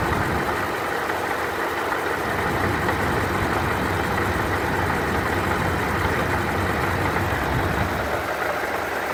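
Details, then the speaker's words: Idling engine heard from inside the car, then clearly under the hood, with a dense gravelly rattle like marbles coming from the supercharger; supercharger grinding noise. "You can kind of hear it inside the car. It sounds like marbles or something in the supercharger."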